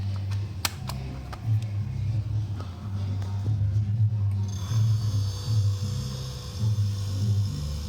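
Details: Mabe fridge compressor running with a steady low hum and a few light clicks early on after the starting relay/PTC assembly fault was addressed; originally it rattled, started and shut off without cooling.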